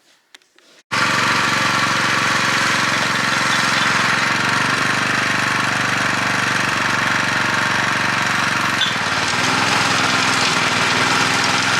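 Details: Honda F810 rotavator with tiller box, revived after standing neglected: steady busy chatter from the tines while tilling, with an even beat and no misses or clunks, healthy under load.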